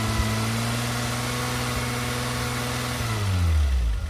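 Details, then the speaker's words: Renault Alpine GTA Turbo long stored, after fixing stale fuel and an unplugged injector and clicking the injectors to wake them: steady, even idle without the earlier heavy vibration, then a clean rev rise. Smooth idle and rev. "See if it revs any better now. Oh, that sounds way better."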